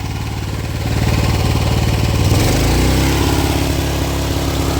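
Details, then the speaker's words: Honda commercial pressure washer, long stored, running under pump load after a bad magneto was fixed, adjustments were made and the carburetor was cleaned. The single cylinder holds a steady, even thump with no misses or surging, and the gauge reaches the yellow line. "we had a bad Magneto there were a few other adjustments I needed to make clean the carburetor seems to be running pretty good"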